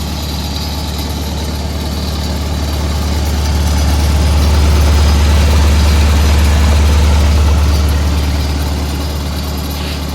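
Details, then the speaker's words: SA-200 welder engine, run the day before, at slow low idle: deep even rumble with steady firing and no knocks or misses, background rattle from lead wells; healthy normal idle. "Good running machine right here."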